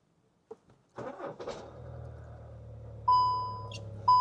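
Short crank, then the diesel catches cleanly into a quiet, steady idle, with two dash chimes about a second apart; starts normally.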